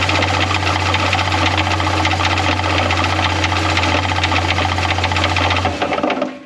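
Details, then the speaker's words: Jeep Cherokee 4.0L replacement engine, about 1.5 years old, worse after an 800-mile trip: loud idle with a deep, heavy, uneven knock about four a second. Worse in park/neutral, and in drive/reverse as it warms; bottom-end fault suspected. "It's really bad in park neutral. As it warms up, it gets really bad in drive reverse."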